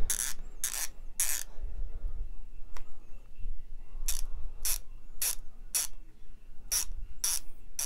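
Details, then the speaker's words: Harbor Freight Icon 1/2 in 50-250 ft-lb flex head torque wrench ratchet, well oiled. Quick bursts of crisp, even clicks with quiet gaps between strokes, judged to sound better than a Pittsburgh wrench (possibly 36 tooth). "it sounds good compared to I think this was a 36 tooth but I'm not sure man office doesn't sound near as good as the icon"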